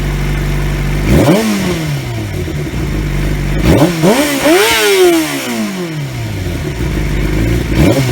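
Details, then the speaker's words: 2003 Yamaha YZF-R6 after ignition coil replacement, previously running on two cylinders, exhaust dented: smooth steady idle then clean quick blips rising and falling evenly without stumbling; all cylinders firing properly now. "the bike sounds much better even though my exhaust is still dented in because I'm an idiot but that's besides the point overall she sounds good though"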